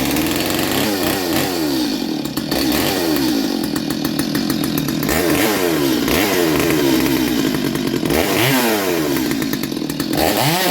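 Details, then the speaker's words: Stihl MS230 chainsaw revived, carb had no fuel so air was sucked out to run: crisp two-stroke buzz climbing and falling cleanly through throttle blips, no stumbling or bogging; healthy motor. "so it sounds good too nice healthy healthy motor"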